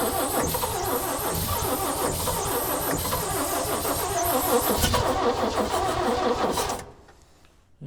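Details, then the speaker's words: 1965 Chevy C-60 truck, 292 inline six long seized, oil poured in cylinders: starter drags the engine slowly and unevenly, about three beats a second, without catching; heavy resistance, owner suspects oil in cylinders being compressed. "She still got a little bit of that oil in them cylinders she's trying to compress."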